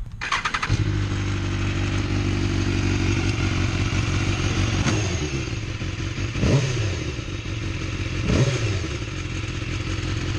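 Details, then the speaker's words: Used 2012 BMW S1000RR at about 12,000 miles, starting and idling: tinny metallic rattle over the exhaust beat from the exhaust, a notorious rattle on this bike, not affecting performance. "So you hear that rattle? That rattle bothers me to death. I even bought an extra exhaust just to replace it, because the thing that's rattling is this thing right here."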